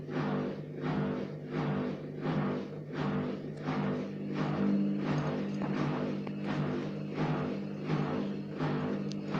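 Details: Gorenje WA50060 front-loader: a steady low hum with soft, even thumps about 1.5 per second, heard only after the pump finishes draining, not during washing or spinning. Cause unknown.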